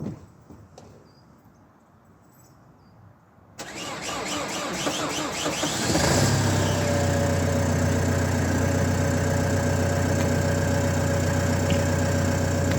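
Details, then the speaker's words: Renault Trafic 2 phase 2, 2.0 dCi M9R 780 diesel, first cold start after replacing a failed PCV valve (fault: lack of power, high fuel use): catches and settles into a steady, even idle knock at about four beats a second, no misses. "On va faire un premier démarrage à froid avec le changement de la valve PCV. On y va. Démarrage à froid."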